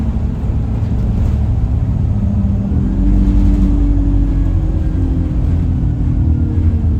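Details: Alexander Dennis Enviro 200 E20D bus pulling away: deep steady drone rising in pitch, horn-like, after an earlier whistle; the bus felt sluggish and the owner suspects the gearbox, as it was much louder toward the front.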